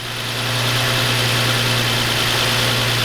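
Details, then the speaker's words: Nissan 350Z DE engine at idle, hood open, before idler pulley replacement: constant high-pitched whirring hiss from the front of the engine, bearing noise suspected to come from worn idler pulleys, which are being replaced. "I'm hoping that it's going to get rid of a little bit of the bearing noise that that's on that that's coming from the front of the engine"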